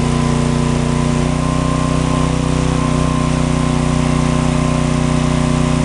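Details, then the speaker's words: John Deere/Briggs & Stratton 4000-4400 W generator, after magneto coil repair restored spark: loud steady drone, even firing without misses or surges; running properly, dead outlets likely from bad GFCI receptacle. "noisy but we got her working"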